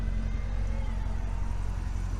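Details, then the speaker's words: Salvage-auction Corvette, first start at the lot: deep, even V8 burble at idle with low rumble, no knocks or ticks; engine dead quiet and healthy, exhaust with NPP adjustable muffler. "dead nuts quiet i'm jumping for joy anytime something like this comes into the shop"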